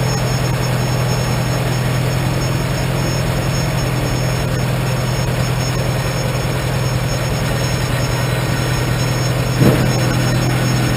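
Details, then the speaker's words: 1947 Farmall M tractor, started after sitting two to three weeks, following loader installation: steady, even low chugging idle; running pretty well though the owner hears a slight hiccup, possibly a bit of carbon. "seems like it's running pretty good I get some fine-tuning sounds like it's got a slight hiccup it might be just a little bit of a carbon just then"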